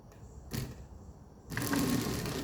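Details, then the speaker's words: 1982 Mercedes 300SD passenger power seat, motor powered directly at the pins: short, dry, rattly gear whir about a second long; this seat drive cable is dry and needs lubrication. "All right, that's what we need to lubricate."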